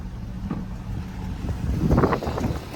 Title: 1 owner fj60 cold start FIXED EXHAUST LEAK